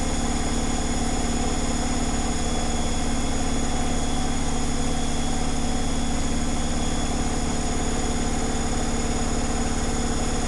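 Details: Zanussi Flexi Dose ZWG7160P washer on final spin with an unbalanced load, held around 1000 rpm instead of 1600 rpm; steady low drone with an even pulsing throb. Once rebalanced it spun at 1600 rpm without crackling.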